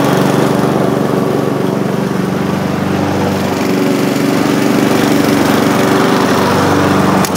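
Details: Mower engine runs smooth and even at a steady pace, no hunting or misfire, after a dragging recoil starter was fixed by shortening the too-long pull string about three inches.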